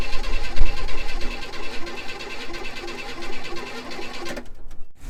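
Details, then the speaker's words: 1965 Chevy Impala pulled from a shed, hot-wired on jump pack with gas poured in carburetor and fuel pump not pumping: steady cranking about three turns a second, never fires; spark at distributor, owner suspects bad plugs. "Well, we're going to give up on it. Can't get it to fire. I'm pretty sure the plugs are all bad as the issue."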